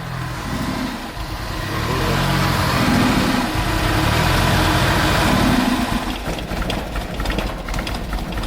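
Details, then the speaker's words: Car that had a no-start, after the fuel pipework was reconnected. It finally starts but revs unevenly, then stumbles and conks out as soon as throttle is given: stalls under throttle, cause not yet found. "it's okay it didn't like a a guy gas that was positive it started as soon as I gave it some gas it um conked out so I'm going to have a go again and see what's going on"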